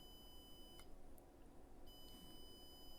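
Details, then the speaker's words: Sony PS4 CUH-1215A with no power, meter on a capacitor just above the south bridge: steady high continuity beep, briefly cut and returning; about two ohms, a dead short to ground on what is apparently a south bridge power supply rail. "as you can hear this side should not be ground that measures about two ohms"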